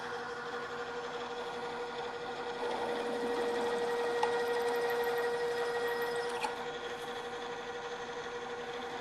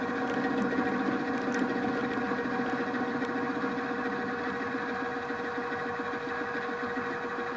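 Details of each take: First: Drill press cutting a hole at a lower speed after chattering at too high a speed: steady mid-pitched hum, bit cutting cleanly with no chatter or jumping, drilling then backing out to clear chips. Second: Drill press with the end mill held in a drill chuck, feeding across the part: a steady cutting hum with an uneven pulsing rumble, about three to four a second, as chatter from lack of stiffness leaves surface irregularities of about ten thousandths of an inch.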